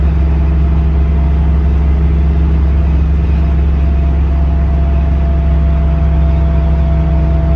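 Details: Car driving with Quick Performance SOT 3-link rear suspension: a steady low whine over road rumble, constant, coming from the rear end.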